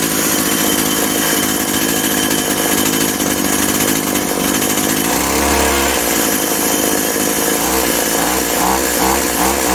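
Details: Husqvarna/McCulloch Tivoli 65 two-stroke hedge trimmer, 15 years unused, run without the throttle cable attached: revs high and steady, crisp buzzing note that holds without stumbling or dying; normal running.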